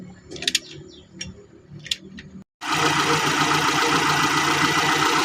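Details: 2002 Kia Visto engine after repair of the bolt threads, bolts retorqued, valve clearance set, sump and alternator/AC belts refitted; after a few light clicks it settles into a steady, even idle with no tapping or clatter, valvetrain healthy.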